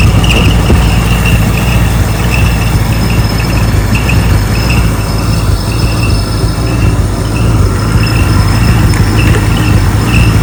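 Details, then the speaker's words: 1964 Ford Galaxie engine on a run stand, first run, checking for leaks and timing: steady loud roar with a thin high squeak coming and going; source not found. "I do know it ran. So right now I'm just checking for leaks. Hear that squeaking?"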